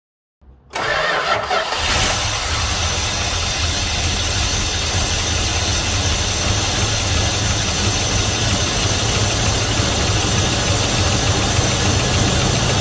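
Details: 1971 Dodge Coronet police car, 4-barrel 383 big block after about 30 years of storage, float bowls refilled: it catches quickly into a fairly smooth, steady V8 idle with no knocks; the gauge shows 75 psi oil pressure, which the owner doubts.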